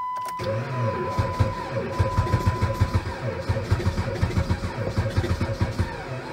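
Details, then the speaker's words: Jeep Patriot at -36 to -40°C with failed block heater, battery charger attached: slow labored cranking about five compression beats a second, never catches. Cold crank no-start from weak battery. "give it a rest try again well that ain't good battery still seems a little weak you see it's trying to charge like hell"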